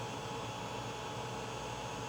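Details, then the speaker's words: Creality Ender 5 3D printer idling with no print after installing the Creality Silent Mainboard V1.1.4 (TMC2208 drivers): only the fans, a steady quiet whir just under 40 dB, no clicks or rattles, normal. "it is this is just the fans except when I'm talking so it's just under 40 dB"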